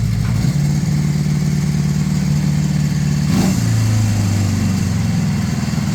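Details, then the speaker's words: 1981 Honda CB650 warmed up after a Keihin VB carburetor rebuild (new o-rings, hoses, butterflies set) and new intake boots and clamps: a smooth, even purr at idle with a clean quick rev. The carbs are running right. "that's purring right there that is purring"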